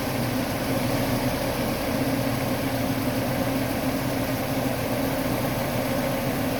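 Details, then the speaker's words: Mercedes-Benz E230 idling with the A/C on after an A/C compressor rebuild and a faulty A/C control unit replaced; smooth, steady air rush from the front condenser fan with no rubbing, ticking or wobble. The fan runs normally. "มีพัดลมทำงานตามปกตินะครับ"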